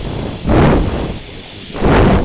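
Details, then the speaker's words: Air compressor with a pipe clamped to the discharge line, a bike/cycle inflation valve on the end and wired to relay and OLP: steady high hiss with surging rushes; good pressure, pumping air normally. "নিশ্চয়ই আপনারা আওয়াজটা শুনতে পাচ্ছেন। তো এটার pressure খুব ভালো, আপনারা বাইক বা সাইকেলে অনায়াসে এটা দিয়ে বাতাস দিতে পারেন।"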